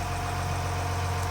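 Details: Ford Lehman 120 marine diesel after fuel lift pump replacement and air purged, raw-water pumping confirmed, left running: steady, even idle with low regular thrum, no misses or knocks; normal idle.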